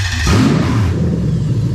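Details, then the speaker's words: 3UZ-FE VVT-i V8 swapped into a 2000–2001 Lexus IS300 with a 5-speed automatic and a new plug-and-play engine harness. It starts quickly and settles into an even open-exhaust rumble with no knocks or misses: a normal start and idle. "there you go so now she's running all nice and sweet"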